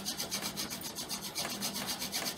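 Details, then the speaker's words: Incantation friction-fire drill: coarse, gritty rasp pulsing about five times a second per stroke; too much body weight and an overly abrasive setup made chunky dust instead of fine smoking dust, so pressure was then backed off. "i think the reason why everything was so chunky was because i was putting too much body weight on it and it's do it's too abrasive"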